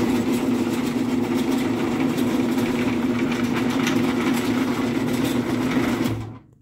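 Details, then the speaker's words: MW screw-drive garage door opener after loosening set screw and pounding scraping pulley forward off back cover: smooth steady motor hum with light rail rattle, stops cleanly; much quieter, remaining noise possibly rail vibration or screw support (unsure). Normal operation. "so yeah that's much quieter um a lot of that noise is just from the rail vibrating"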